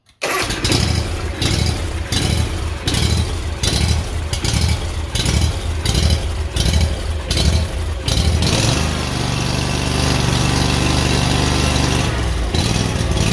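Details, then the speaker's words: Kawasaki engine on a Hustler mower, after a new BPR4ES plug, a new fuel filter and a glued repair: speed rises and falls about every 1.5 s for about eight seconds before settling. Surging not fixed; cause unconfirmed. "But I started up this morning. I was going to take it on my lawn route. It's not fixed. show you."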